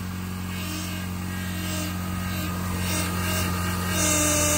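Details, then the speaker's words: 2007 Honda Accord 4-cylinder at idle, steering wheel being turned: thin whine rising and swelling from the power steering pump as air is drawn in through a bad lower pressure hose O-ring; bubbles in reservoir; fix is O-ring replacement. "hear that that's your o-ring that is bad so if your car is making that noise most likely your o ring is bad"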